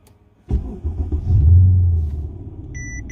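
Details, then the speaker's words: Mercedes-Benz CL550 started at home after shop repair of a no-start, with subwoofers on: starter catches fast into a deep, steady rumble easing to idle, chime beeps after; clean start, owner says it sounds better. "It even sounds different. Also, it sounds better upon starting."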